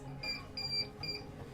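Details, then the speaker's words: CP Plus DVR beeping every 15-30 seconds with live preview working but playback showing No Record Found: short high-pitched beeps in quick bursts; hard disk error alarm, hard disk faulty or not detected. "And साथ ही आपका DVR हर 15 से 30 second के आसपास इस प्रकार से एक beep मारती रहती है"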